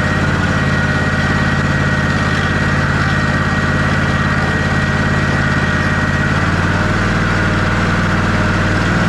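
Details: Ariens Ikon XD 52-inch zero-turn mower, Kawasaki FR691V V-twin, run about 10 seconds during annual service after an oil fill to the full mark: smooth, even idle with a low, regular beat, steady speed, no knocks or misses; healthy.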